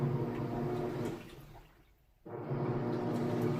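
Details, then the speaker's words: 4-year-old Samsung HE washer on quick wash with heavy jeans-and-towel load; rhythmic sloshing churn, strong steady agitation strokes with a brief pause, clothes fully submerged. Normal wash agitation. "It's got a nice strong agitation and full submersion on those clothes too, so it does not skip on the water, which is nice."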